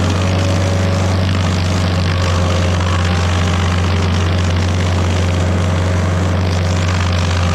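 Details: Stump grinder with freshly rebuilt engine (new rings, cleaned piston), first job grinding a willow stump: deep steady drone at even pitch under load, no knocks, misses or surging; oil on heat shield later burnt off; normal running under load.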